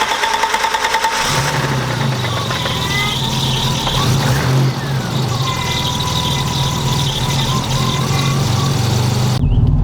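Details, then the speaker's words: BMW E30 with eBay turbo, no tune, near-zero oil pressure, metal shavings in oil, valves adjusted, tired engine, cold start: catches after a second of cranking, marble-like top-end rattle through the idle from oil starvation. "so i know you heard that little bit of a rattle at uh startup which is kind of normal i've heard brand new cars make that noise until they get oil up into the heads"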